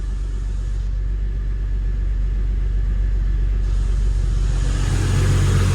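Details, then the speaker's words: Holden VY Calais L67 supercharged V6 drift car, freshly installed replacement engine (double-row timing chain, lower km, balance shaft disconnected, upgraded mounts), first run without coolant or supercharger belt: smooth, even low rumble at steady idle, no knocks or ticks; good oil pressure, healthy. "Got good oil pressure. Actually sounds pretty good. It actually sounds really good."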